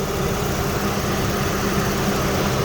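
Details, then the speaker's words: 2004 Jeep Liberty Renegade after repairing a dropped rocker arm caused by a collapsed lifter: smooth even idle with no top-end ticking; normal idle. "So we'll probably have to go get some gas, but maybe I'll take a ride and check out all the burnt zone at the same time. So she is sounding good."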